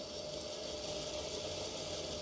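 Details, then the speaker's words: Trix/Märklin Porsche BR 152 model locomotive after Micromotor.eu HMT008G coreless motor conversion with Loco Pilot V5 decoder: soft steady hum with only faint gear whirr, no rattle or surging; running nice and smooth. "Just the gearing. That's running nice and smooth."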